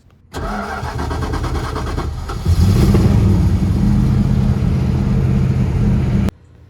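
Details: After cleaning and rebuilding its Holley carburetor, the engine cranks briefly, catches cleanly and settles into a steady, even idle with no misses or stumbles; running properly.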